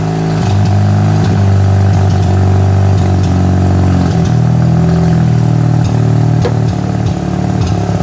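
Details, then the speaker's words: Mazda RX-8 rotary engine idling unevenly with sputters and dropouts, worst at the very bottom of the rev range; a timing light shows no spark when it runs badly, an intermittent ignition misfire. "so you can hear firing right now come on see this see that it runs good and then when it's running like crap it's not firing see"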